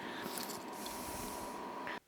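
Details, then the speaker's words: Vevor air heater in a workshop during its shutdown cycle. The fan restarts to cool the combustion chamber, running as a steady whoosh at a constant tone, then cuts off abruptly after a few minutes: normal cooldown fan run. "on entend le ventilo qui se remet en route pour pouvoir refroidir la chambre de combustion ça produit encore de la chaleur"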